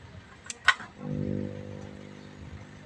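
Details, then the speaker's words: JVC CRT TV model AV21M315 that will not turn on: click then steady low buzzing hum; failed filter capacitor beside the switching supply, replaced with 47 µF. "ไม่ติดนะครับดันหึ่งๆนะครับ"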